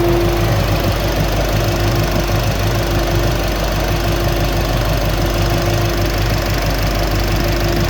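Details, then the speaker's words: 1968 Chevelle wagon idling after sitting two weeks, owner suspects fuel problem, fuel pressure steady: loud, steady idle with a faint quick ticking heard when the fans turn off; normal injector ticking. "really hear those injectors firing when the fans turn off."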